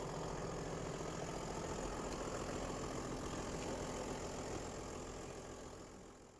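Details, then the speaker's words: 1994 Toyota Land Cruiser 80 series turbo diesel, Japanese import, about 234,000 km: even, steady idle clatter about three and a half beats a second, no misses or smoke; healthy. "Doesn't smoke or anything, guys. No unnecessary smoke, and guys, it runs perfect."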